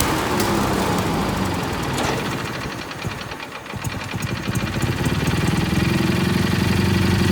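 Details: Kohler Magnum 18 MV18 engine with a bad fuel pump runs hard, sags and stumbles, then picks back up; enough fuel gravity-feeds through the pump at idle, but at full throttle it starves and dies.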